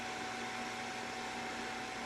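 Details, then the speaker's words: AMD Sempron Windows 98 PC; loud steady vacuum-cleaner-like rushing whoosh with a faint hum from the noisy CPU cooler fan, which sounds this way whatever is done to it, though it works. "only problem with this CPU fan I'm using is that no matter what I do it always sounds like a vacuum cleaner but at least it worked"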